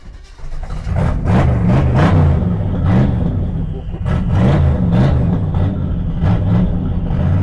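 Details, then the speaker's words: Twin-turbo small-block V8 GTO with Holley carburetor, on a wet day: deep rumble surges and sags unevenly while the throttle is blipped to keep it running; rough idle from a poorly adjusted carburetor. "The carburetor's poorly adjusted on it. It doesn't idle great, but that just tells me that this thing is meant to be, living wide open. It doesn't have time for idling."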